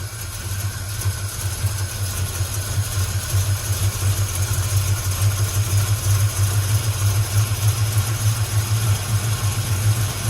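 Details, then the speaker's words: 1962 Chevy pickup V8 running after 20 years parked, with the choke held wide open and the float bowls overfull. A low, throbbing idle with uneven, wandering pulses; rough idle. "I'm just watching the float level right now holding the choke wide open it's running just not that well"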